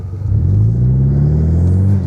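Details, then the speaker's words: 2015 Mustang EcoBoost 2.3 turbo four with new AEM intake, custom exhaust and tune, accelerating from low speed: a deep, smooth rumble rising in pitch, no knocks or rattles. The new intake sound, with more pull than before. "There's the new sound. And a lot more pull it has than before. So it works hand in hand with the exhaust system."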